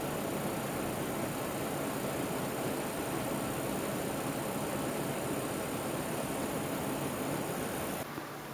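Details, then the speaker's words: Powercolor HD6990 LCS water-cooled graphics card under benchmark load, fan noise gone: steady fizzing electrical buzz with faint rapid ticking from capacitors, cutting out as the test changes; coil whine under load. "so the fan noise is gone but the uh the electric noise of the capacitors and stuff hasn't it's just stopped again because the test is changing there it goes"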